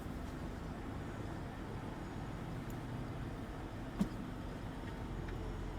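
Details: 2003 Mercedes SL500 at an IAA auction: quiet, smooth low rumble holding a constant pitch, no ticks, knocks or stumbles; sounds good, healthy idle.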